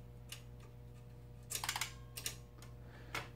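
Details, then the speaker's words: Ms. Pac-Man cocktail arcade machine, bought non-working: coin counter clicks and counts up by itself over steady mains hum, with uneven clicks and a quick burst; coin switches and start button do nothing, screen dead. "All right, so the coin counter is just counting up. That's obviously not working the way it's supposed to."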